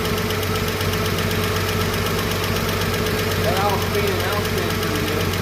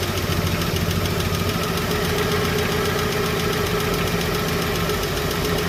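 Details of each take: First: Chevrolet 235 Blueflame six after the bad lifter was repaired, rockers refitted and the valve adjusted: steady, even idle with a soft, regular exhaust pulse and no ticking or clatter. Normal idle; the earlier miss is gone. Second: Chevrolet 235 Blue Flame six, ticking started after a 10–15 mile drive, valve being backed off during adjustment: fast sharp metallic tick over steady idle, from one loose rocker/lifter before valves set.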